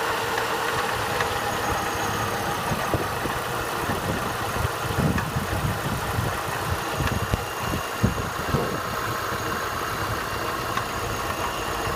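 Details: Opel Astra H cold start: idle with irregular dull knocks over the engine note; knock on cold start, cause not yet identified.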